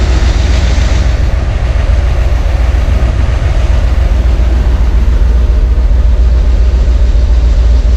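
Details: 1971 Corvette convertible V8 under restoration, with valve covers just refitted and timing not yet set with a timing light: deep, heavy, even idle of about three pulses a second with no misses; normal idle.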